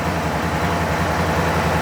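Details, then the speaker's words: Gen 1 Aprilia RSV Mille / Tuono Rotax V-twin at idle while the clutch lever is pulled in; the clutch needs a bleed. Even idle with a light, regular dry rattle on the firing beat that changes as the clutch disengages: typical Rotax clutch noise, nothing wrong. "There's nothing wrong with that noise there. Rotax engines tend to be a little bit noisy."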